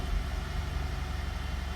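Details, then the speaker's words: Cold start around 8:30 morning: low uneven chugging idle with shaky rpm and some misfire, smoothing out as it warms, burning smell, no check engine light. "i'm gonna start it up now slinger one six some misfire the rpm is a little shaky"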